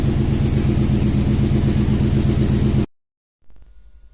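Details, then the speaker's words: Rough idle with a steady stumbling beat on a Toyota Tundra V8 with about 282,000 km, from a used car lot after sitting a long time; misfires are counting on cylinder 3 from a failed ignition coil. "you can see it's counting misfires on cylinder number three so we'll look for something obvious was cylinder number three"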